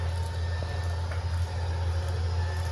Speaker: Push and holding that out, the awning is going to start making its way out.